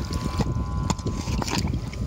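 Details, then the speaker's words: Borehole submersible pump pulled from the well and run in water after it stopped supplying water; low, labouring rumble with uneven surges; pump is blocked and forcing, owner suspects a blockage near the outlet and plans to shock it upside down. "je la mets dans l'eau on va voir ce que ça donne al elle est bloquée elle force alors ouais on sent qu' force là tu entends le bruit donc là ça va pas du tout"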